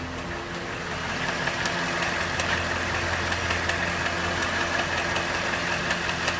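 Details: Cadillac Northstar 4.6 V8 at hot idle: a light sharp click, about two or three per second and slightly uneven, rides over the hum; intermittent clicking only when hot, source unknown.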